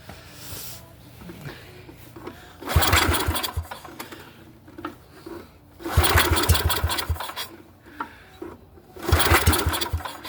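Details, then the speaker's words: Neglected Yamaha 624 snowblower with carb cleaner in the intake and choke closed: three cranking bursts about a second each with a rapid chug, almost starting but never catching; fuel-starved, gas tank and carburetor still need cleaning. "Well, it does turn over a lot better than that. It almost started. It did turn over quite a bit more when I tried it earlier."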